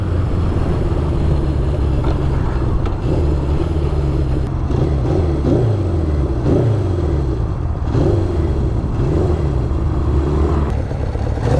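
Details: Honda CB750 on a test ride after carb rebuild, carb sync and ignition parts replaced: lumpy, uneven, stumbling exhaust beat under acceleration, sounds down a cylinder; misfire, running on three cylinders.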